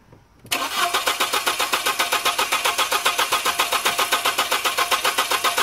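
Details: 2002 VW Passat 1.8 L 20-valve turbo, after replacing the engine speed sensor and resetting the ECM by pulling the battery: starter spins the engine evenly, about four turns a second, never fires. Crank, no start.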